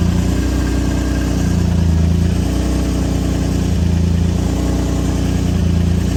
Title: Exhaust leak?